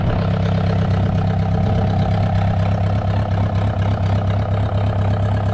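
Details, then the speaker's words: VW 1.9 mechanical SDI diesel in a homemade mini loader, first start after the build, not really cold (stored in garage): steady low diesel rumble with even clatter, no misses or knocks; smooth healthy idle. "First start, it's not really cold. It was in the garage."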